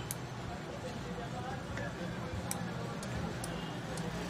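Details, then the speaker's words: Voltage stabilizer under repair, relays and VR adjustments being checked, all three VRs working: crisp single relay clicks about a second apart over a low hum, each relay pulling in cleanly. Normal relay switching. "ये आप आवाज़ भी सुन लें और वर्क भी कर रही है।"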